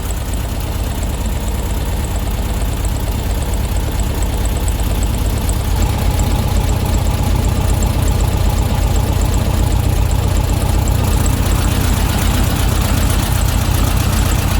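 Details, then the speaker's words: Classic VW Beetle engine after ignition timing and carb tune-up, not fully warm, idle screw set to 850–900 rpm and still rising slightly; steady even low chug with no misses or knocks: normal idle. "so between 850 and 900 now still coming up a bit probably just warming up a tiny bit um that's about right"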